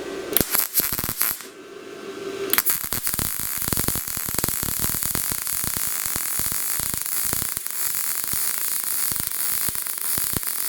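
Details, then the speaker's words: Best Arc MIG 145 welder on 220 V with 75/25 argon-CO2 gas at 7–8, welding about 1/16-inch thin sheet on cold steel at 90 amps: dense frying crackle with frequent sharp pops, arc running slightly hot, no blow-through; to be turned down to 80 amps. "So I think I'm running a little bit hot at 90 amps. I'll crank it down to 80."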